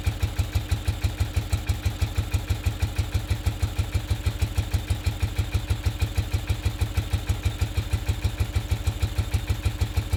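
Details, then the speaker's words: 1969 BMW R69S twin during a tune-up, idle mixture screws set two turns out as a base setting: low chuff of about three beats a second with a slight lope, one side clearly running more fuel; uneven idle. "Right, so clearly running more fuel on this side. Okay."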